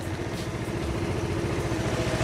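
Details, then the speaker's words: Honda Helix CN250 250cc scooter salvage rebuild, after replacing bad fuel filter with OEM and adding fresh gas: steady, even engine pulse with no stumbling or bog; earlier hard starting and bogginess largely resolved. "probably why it was a little bit hard to start there but yeah just replacing those two things seemed to help out a lot"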